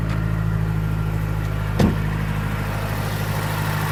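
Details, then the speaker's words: Stock 2009 Mazdaspeed3, parked about two years, just fired up after new spark plugs: steady even idle sitting a little high, smooth hum with no ticking or knocking; sounds much better than before. "Idling a little high, but it sounds way better."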